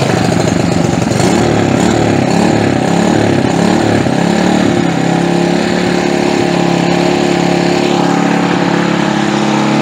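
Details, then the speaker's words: Earthquake/Predator Versa tiller, single-cylinder, started on full choke and full throttle after sitting unused, with the air cleaner off and some internal parts repaired. Steady buzzing with a slight wander in revs. Runs normally. "and she sounds pretty good looks like we did okay on this deal"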